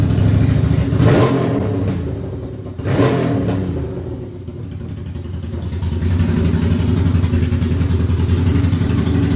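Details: Ducati Monster 695 café racer on its first start after custom rewiring, new ignition coils, HT leads and handlebar switches: loud, lumpy V-twin beat revving then settling into a steady idle with no knocks or rattles; starts and runs fine.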